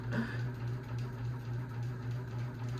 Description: This fan does wobble quite a bit and makes a loud buzzing noise.